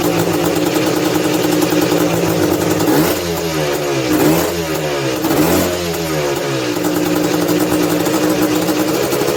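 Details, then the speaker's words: 1986 Honda TRX250R two-stroke, ice cold on choke after priming kicks: revs blip up unevenly and sag back, hanging and stumbling instead of climbing cleanly, bogging under throttle; cause not yet diagnosed. "Prime kick give it two guys can hear how it's like real doggy"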